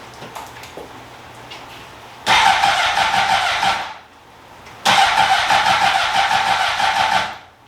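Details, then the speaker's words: 2003 Honda CBR600RR first start attempt with new battery and little fuel, low-fuel light on: two bursts of fast even starter cranking with steady compression pulses, never fires; cranks but won't start, fuel or battery suspected. "well it's cranking it's CR that's good we got compression it's definitely cranking yeah I feel it"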